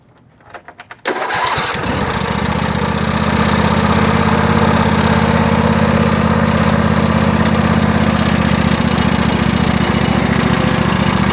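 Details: John Deere L118, cold start before a new carburetor: after a short crank it runs lumpy with a loping beat and only stays running with the choke on. One cylinder is not firing correctly; faulty carburetor.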